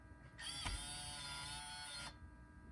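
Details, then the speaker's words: 2004 Toyota 4Runner V8 Limited, 246,000 miles, new Aisin SAT-003 transfer 4WD actuator, ignition on, in neutral; steady electric motor whine about a second and a half then clean stop, actuator engaging and disengaging center diff lock and 4WD normally. "And disengaging 4-wheel drive and center diff lock. So everything is working on this new one."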